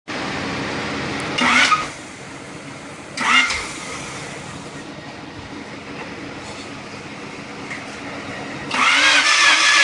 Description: D-16 Crank but no start. New rebuilt engine, I can see spark on the plugs if I remove them, I can see and smell the gas in the piston (again, from the spark plugs) So I have Spark and Gas but no start???